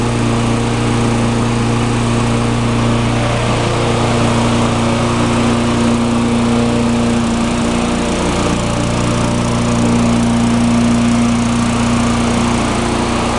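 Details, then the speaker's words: Tecumseh mulching mower, formerly surging, after carburetor repair (part 632547 at the emulsion tube base, idle-circuit plug found): the single-cylinder engine holds a steady, even speed with no hunting or surging. It runs great. "so it runs great"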